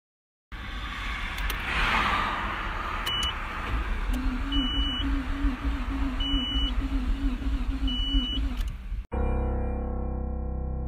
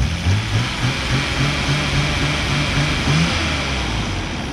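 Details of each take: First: Nissan Skyline R32 that suddenly stalled while driving at normal speed, the owner calling it an engine blow: the starter cranks weakly, slowly and unevenly under repeated warning chimes and the engine never catches; a bad battery was first suspected. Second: Nissan Skyline R32 engine in good condition for comparison: smooth, steady petrol idle with low even hum, no rattle or knock, unlike the blown engine's huge rattling sound.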